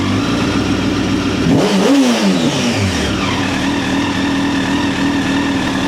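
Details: 2009 Honda CBR1000RR Fireblade at 61,211 km, started with a jump pack: idles, climbs in a quick rev and drops back to steady idle; picks up cleanly and runs fine.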